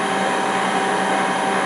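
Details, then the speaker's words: LT230 transfer case on a test bench, now turning in the car's normal direction, revved up: steady even whir with a faint fixed tone and a little background noise, about 80 dB. It seems louder at the back, not from the joints; owner suspects a problem, cause unconfirmed. "Let's take some revs up. Now you can hear there's a little background noise."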